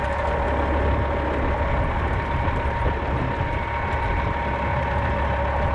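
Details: A 1995 Western Star with a Cat 3406E diesel, after installing a new 6-inch Grand Rock exhaust, has a deep, steady idle with an even low rumble and no knocks or rattles. The exhaust note sounds healthy.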